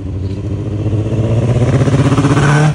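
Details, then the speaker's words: 2005-2006 Suzuki GSXR1000 motorcycle misfiring with no codes and won't rev past 5,000 rpm; engine revs unevenly with a stumbling, pulsing beat, misfire from running rich. "so as you can see something's clearly wrong it's misfiring and it doesn't want to rev past 5,000 RPMs"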